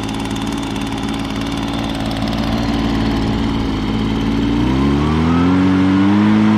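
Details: 2016 Echo PB-265 blower with a 25.4cc two-stroke engine, cold start for the 2020 season: an even buzz climbs smoothly in pitch as it throttles up, with no misfires or stumbles. Normal running.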